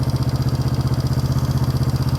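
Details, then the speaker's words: 1971 Honda CB350 twin, said by a previous owner to have low compression, running after a disconnected part was plugged back in: quick, even beat that settles smoothly but idles noticeably high; idle still higher than wanted. "Yeah, see it's idling better. It's still up a little higher than what I'd like."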